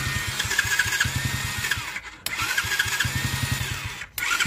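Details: Roughly 49cc Chinese kids' ATV that only clicked at the start button, tested after a new starter solenoid was installed. Bursts of starter whir and pulsing crank, then the single catches, normal starter cranking.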